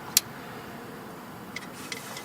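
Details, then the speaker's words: 2005 Honda Pilot with bad transmission, shift solenoid B (top) actuated by scan tool: two crisp ticks about two seconds apart over quiet background; solenoid clicking and working. "That's on the top there. Yep, it's clicking. And again. Yeah, that's working."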